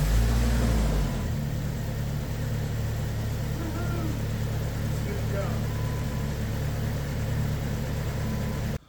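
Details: Jeep TJ with a no-start problem, after installing a new starter and reconnecting the battery: short cranking burst catches, then settles into a smooth, even low idle; normal start and idle after starter replacement.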